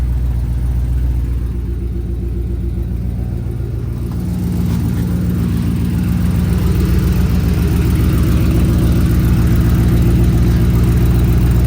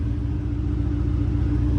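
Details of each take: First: Race car engine running with a rapid, regular puffing tick over a deep rumble from an exhaust leak, later confirmed leaking and fixed. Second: Racecar after a nut-and-bolt check and exhaust leak fix, started on level ground: deep steady rumble, even pulse, no rattle or ticking; quietest it has ever been, normal idle.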